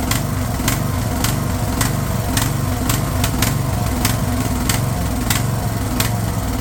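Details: Craftsman LT1000 riding mower/tractor, fed gas of uncertain freshness, holds a steady, even single-cylinder beat with no hunting or misfire; running smoothly after the fuel solenoid was found cut off.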